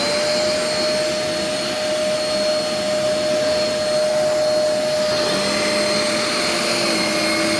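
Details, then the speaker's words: Used vacuum with brush roll motor: steady whine that thins about five seconds in, as if the main motor drops out while the brush roll motor keeps running; owner unsure whether motor or switch, not confirmed. "did the motor just die or is that still the switch I don't know whatever it's started to go shark syndrome for a second there where the brush roll motor was running but not the main motor"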